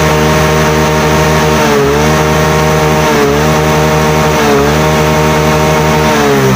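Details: Yamaha Mio J (Fino) single-cylinder scooter that stalled and showed MIL code 46, running at steady speed while charging reads 13.8–13.9 V, normal; smooth, even hum, no knocks, rattles or misses, healthy.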